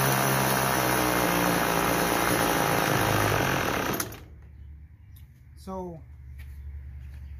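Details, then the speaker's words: Troy-Bilt TB32EC two-stroke trimmer during carburetor idle-screw adjustment: buzzy idle holds about four seconds then dies; clockwise lowers rpm and stalls it, counterclockwise raises rpm. "so depending on how i turn it left or right clockwise or counterclockwise it'll go up and down"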